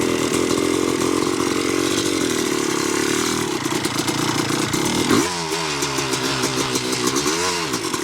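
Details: 1986 Yamaha YZ250 two-stroke, not run since 2015, reeds cleaned, running on a borrowed carb and throttle from a 1975 250 MX. Holds a steady idle, then snaps cleanly through several quick rev blips and drops back, strong and healthy: normal idle and revving.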